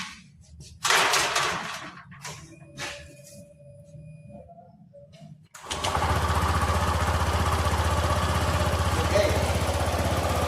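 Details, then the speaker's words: 2018 Honda Vario 150 scooter after CVT service, with greasing and parts replaced: it fires and settles into a smooth, even idle with no rough grinding from the drive. The earlier rough CVT noise is gone; normal running. "Oke, ya. Ini tidak ada suara lagi."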